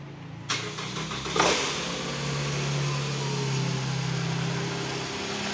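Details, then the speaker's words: 2010 Toyota Alphard ANH20 2AZ-FE after balancer shaft replacement: starter cranks briefly, engine catches and settles into even, smooth idle without the earlier harsh roughness or vibration; healthy start and idle after repair. "ini normalnya nih kondisinya bunyinya enggak kasar seperti yang video di awal ya itu udah kita beresin"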